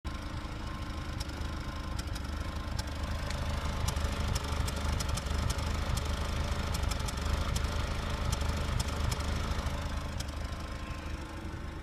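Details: 1999 Acura Integra LS, B18B1 engine at 140,000 miles, code P0303: uneven, stumbling idle with irregular pops and skips, a cylinder 3 misfire caused by a faulty spark plug wire.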